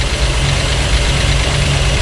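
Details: Carburetted Cadillac V8 barn find, just started after about 30 years sitting once fuel reached the carburetor: deep, steady, even burble with no knocking; it later runs a bit warm and diesels at shutoff.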